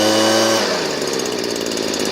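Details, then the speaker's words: Stihl BG56C leaf blower, 27cc two-stroke, warmed up. At wide open throttle the clean high scream breaks into a rapid fluttering stutter from the misadjusted high-speed screw. Turning the screw back about half a turn makes it run clean. "It's running nicely right now, but if I crank it all the way, notice it right at the top there, it's got a little stutter."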